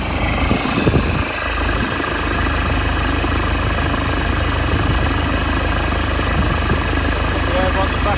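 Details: Nissan Navara pickup diesel after replacing the alternator, which had a noisy bearing: steady, even idle with a smooth low rumble and no knocks, rattles or whine; engine sounds healthy.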